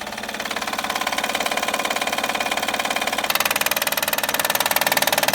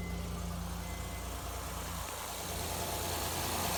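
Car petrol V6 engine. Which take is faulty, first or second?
first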